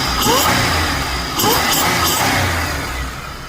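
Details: 2004 Chevrolet Impala SS, 3800 supercharged, after a cheap fix: two quick throttle blips rising cleanly with supercharger whine and settling back to idle; the engine revs freely and healthy.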